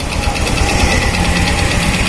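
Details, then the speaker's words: Honda Supra X 125 motorcycle at idle, engine rough and lacking power: rapid light "tek tek" ticking rides over the idle, clearest from the left side, from worn centrifugal clutch linings worn down to bare metal. "Hai motor ini suaranya kasar dan tidak bertenaga"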